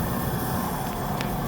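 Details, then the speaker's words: Home oil burner after running out of oil, just lit after bleeding the line and refilling with diesel: steady, even low flame roar, no pulsing, sputtering or misfire; firing cleanly. "That's the fire, guys. I just started to boil the burner. You see the fire? I close it. Okay? The fire start."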